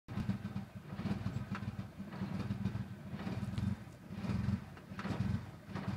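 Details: 1995 Eagle Talon TSi at idle: low idle swelling and sagging roughly once a second instead of holding steady; rough idle, cause not evident.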